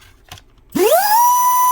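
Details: Unloaded 2S 2030-size brushless motor, 7200 KV, bench-tested on ESC: spins up fast to a steady high whine near one kilohertz, holds clean and even, then winds down; healthy high-KV motor, slightly warm afterward.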